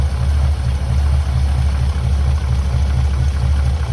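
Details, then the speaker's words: 1979 Ford F100 Ranger XLT, abandoned, dead-cold engine at about 31–32°F: low, steady idle with a slightly uneven lope; keeps running while the choke wants to close, the only problem seen; ignition not hooked up. "I mean it is sitting there the engine is dead cold it's about 32 maybe 31 degrees outside maybe even colder and it's just sitting there idling that's awesome that is so awesome so the only problem I can see with it is the choke wants to close"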